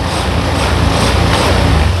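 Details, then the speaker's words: Honda Beat ESP FI (likely 2019) scooter idles after a reconnected loose socket, with the warning lamp off. A smooth, steady hum with no stumbling or popping; it runs normally, though a charging problem remains and the battery had to be charged for it to start. "sudah enak beraringan enteng tapi masih ada permasalahan satu lagi teman-teman ya"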